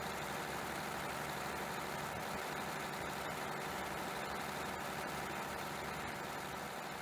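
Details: Mercedes-Benz MTU OM501LA diesel in a John Deere articulated dump truck: rough, loud idle with a muddy, uneven knock about two beats a second and hissing blow-by; broken piston rings on No. 2 cylinder, fixed with new cylinder kits.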